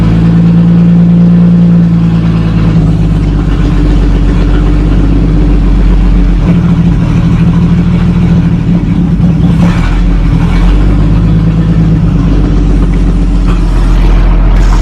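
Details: 1937 Talbot saloon 3.2-litre six-cylinder engine, laid up since the mid-1970s, with fresh oil, ignition repaired and fuel system temporarily bypassed, catches and runs with a low, slightly uneven beat, blipped a few times, then keeps going.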